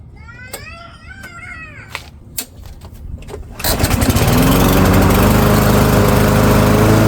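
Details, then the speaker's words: Yard Machines by MTD self-propelled mower, PowerMore 139cc OHV engine, customer says won't start, before tune-up, choke on: quiet clicks, catches after about four seconds, then steady even drone without stumbling; complaint not verified, runs fine. "Okay, so customer's complaint not verified. Mower runs just fine."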